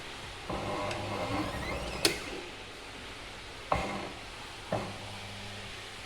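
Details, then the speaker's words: Singer washing machine spin motor, wash works but spin does not; lid brake checked fine and drum turns freely by hand. On switch-on a click then steady low hum, no spin-up. "හම් කරනවා. කරගෙන හදනවා ඒත් කරගෙන්නේ මොකක් හරි අවුලක් තියෙනවා."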